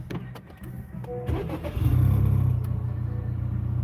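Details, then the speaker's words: Honda Accord (10th gen) with a new high-pressure direct-injection fuel pump for E85, monitored with a K-tuner; brief crank, quick catch, then a steady, even idle with no stumbling or ticks; normal start and idle. "so as you can hear it runs perfectly fine"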